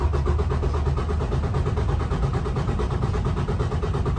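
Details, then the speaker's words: Detroit DD15 diesel cranking in neutral during a computer-run compression test: steady, evenly spaced chug with no missing beats. Compression was good, so the customer's noise (suspected exhaust or air leak) probably lay elsewhere; loose exhaust-side valve-train bolts were later found. "alrighty so we have the results from our test and we have decent compression so the issue that we have that the customer is talking about is probably not going to be on the valve train it's going to be somewhere else"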